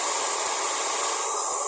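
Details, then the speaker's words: Taiff Ion hair dryer after repair, wires rerouted and motor reseated with a shim because it had been noisy and weak; steady airy rush, even fan tone, no rubbing or grinding; normal running, heating. "Acabou aquele barulho, né? Ó, tá aquecendo, ó."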